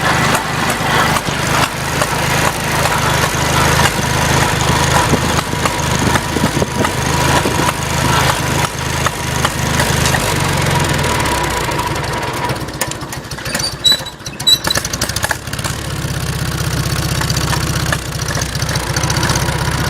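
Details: Farmall Cub tractor at start-up and idle: the engine runs roughly with sharp, irregular popping cracks over its low chug; the cause is unknown.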